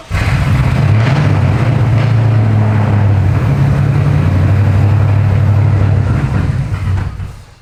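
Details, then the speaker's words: 7.3 Godzilla V8-swapped 2015 Ford Mustang S550, first start with the new full Holley exhaust: a very loud, deep V8 rumble holds at steady throttle, then drops. Untuned engine running on a base map. "it's loud it's really loud but sounds better than it going R out of the headers um definitely needs a tune cuz I don't even know what it's on E85 it's just base map of things"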